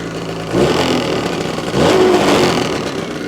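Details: New 2026 Ski-Doo MXZ 600 EFI Sport 129 with 0.2 miles, still in break-in mode, blipped twice from idle: a thin whistle rises with the second rev and fades as revs drop. Source still unidentified.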